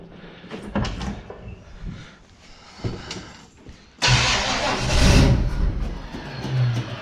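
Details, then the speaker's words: 1969 Chevrolet Nova, ignition wire just reconnected: uneven starter churning with bursts and pauses, then a louder rush, but engine won't catch; carburetor not squirting fuel yet, starter sounds unhappy. "oh it's not squirting any fuel yet"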